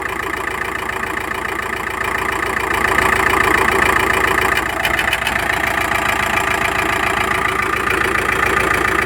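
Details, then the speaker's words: Volkswagen T5 engine at idle running evenly, not misfiring, with a steady light ticking knock under the valve cover; cause not yet found. "Вот слышно, что-то простукивает, непонятно что. Двигатель работает четко, ровно, не троит."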